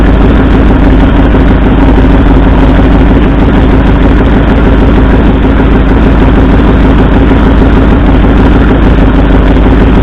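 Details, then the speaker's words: 1964 Ford F100 V8 idling with an uneven loping rumble; plug-wire cylinder contribution test shows no RPM drop on driver's-side front and passenger-side second cylinders, so two cylinders aren't firing. "Alright, so what we found, this cylinder here, driver's side, the front one, had no response when I pulled the plug wire, and the second cylinder back on the passenger side, also no RPM change. So it appears we have two cylinders that aren't firing."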